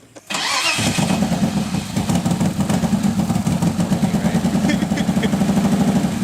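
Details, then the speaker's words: Fully forged BMW S52 engine's first start: cranks over with good compression, catches, then runs lumpy with hunting idle, running a little rich; seems to be struggling to run rather than misfiring; owner fears fuel washed the rings. "he was running a little bit rich but it didn't sound like it was too bad it sounded more like it was struggling to run that it was actually misfiring which is a good sign"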